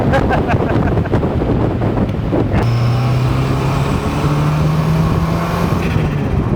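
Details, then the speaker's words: 1976 Fiat 124 with turbo, driving under acceleration: engine note climbs with throttle, faint rising turbo whistle over wind noise; healthy turbo spool. "You can hear the little turbo. It goes stew, stew, stew, stew."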